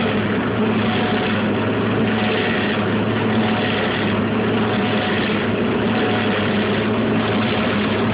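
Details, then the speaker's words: Fisher and Paykel Smartload dryer: steady, loud whirring roar with no let-up while the drum turns, traced to the belt tensioner pulley area; worn tensioner or idler bearing suspected, not confirmed. "you have your belt tensioner right there and that is where the noise is coming from"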